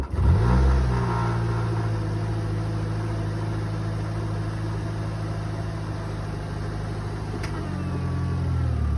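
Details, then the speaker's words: 2013 Nissan Versa at auction, started with a jump box: catches quickly with a short rev flare, then a low, smooth, pretty quiet idle with no knocks or ticks; normal start and idle. "Pretty quiet."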